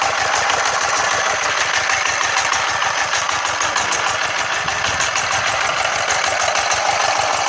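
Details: Freshly rebuilt Yanmar TF115 11.5 hp single-cylinder diesel (new liner, piston, rings, bearings; brought in for hard starting) on its first start before painting, not yet adjusted; steady even idle beat with crisp firing from injection pump and injector, no knock.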